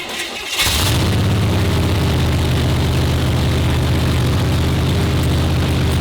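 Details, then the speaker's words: Blown V8 in the 50-year-old Digger street-legal dragster at first fire-up: loud, fast, steady drone well above idle, about 2,500 rpm, oil pressure 70 psi good; too many rpm, high idle speed. "70 psi of the oil pressure. Okay, so oil pressure's good. We're pushing too many RPMs."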